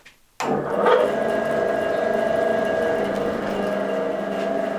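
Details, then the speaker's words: Axminster Craft AC2606B bandsaw after assembly and calibration, guides set top and bottom, guards in place: motor spins up in under a second then holds a steady, clean whir with no ticking or rubbing; smooth, tracking well, normal running. "That's absolutely gorgeous, beautifully smooth, no noises, all tracking well."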